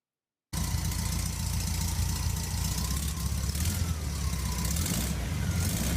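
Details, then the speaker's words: Rare Australian 1963 VW single-cab muffin-top ute, restored air-cooled flat-four with electronic-style distributor: even, low flat-four burble at steady idle with no knocking or stumbling; normal running. "yeah so she runs pretty good"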